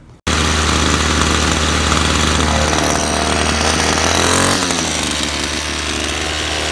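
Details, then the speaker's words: 25cc two-stroke string trimmer that ran five minutes then stalled; fixed by tucking the fuel line, which has no filter, to the bottom of the tank: buzzing steadily at high speed without sagging. Normal running. "yeah it works a lot better when you make sure that you have the the line in the gas uh whether it be a filter on it or not as long as it's you know resting on the bottom of the tank"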